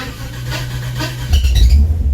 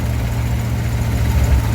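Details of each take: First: 1955 DeSoto, supercharged 392 HEMI V8, cold start after sitting a few weeks, possibly no fuel in carb: short rough crank then catches into deep uneven rumble; owner suspects timing, not as pokey as it should be. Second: 1955 DeSoto, supercharged 392 HEMI V8 idling after tuning: deep steady burble with only faint speed rise and fall, the nicest it has sounded in a long time; vacuum 14–15.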